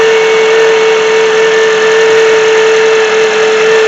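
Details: 2007 Honda CR-V running: loud steady high whine over engine, never wavers; bad alternator not charging, about 13.7 V, only 12.23 V with load; alternator to be replaced.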